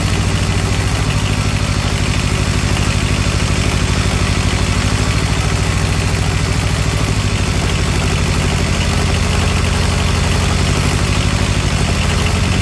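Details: Small diesel engine of a Comfort Pro truck auxiliary power unit, started after glow plug, throttle lowered: low, chunky clatter at a slow, steady idle with no misses or knocks; idling normally.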